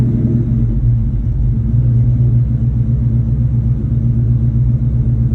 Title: 2002 mustang GT rough idle NEED HELP